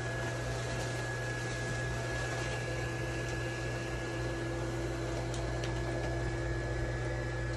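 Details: Small blower fan of an 8ft inflatable penguin: steady low hum with constant unwavering whir; runs smoothly and healthy, slow to inflate being a smaller fan.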